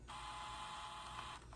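A steady, even mechanical whir with a faint high hum runs smoothly and cuts off cleanly; the tape transport sounds healthy.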